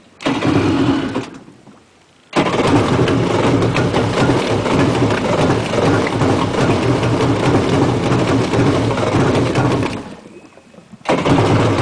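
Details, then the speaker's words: Two-stroke jet ski cold start in the lift: catches, fades almost out, then fires again and runs rough and uneven; needs warming, and throttle would stall it; stays running once it passes 10,000 rpm. "Now, as soon as you start it up, you still don't want to give it any gas because that is going to stall it. It needs to warm up. It's a two-cycle. If you try and give it any gas, it'll stall."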